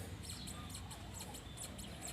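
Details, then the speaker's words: Pickup truck driveshaft turned by hand: sharp high-pitched chirps about twice a second from a dry universal joint bearing with no grease left, causing a squeal under the car when pulling away in first gear. "เนี่ยอาการแบบนี้คือยอยมันเริ่มตายนะครับมันไม่มีจะรบีหล่อเลี้ยงแล้วมันก็จะได้ครับนี่ครับ"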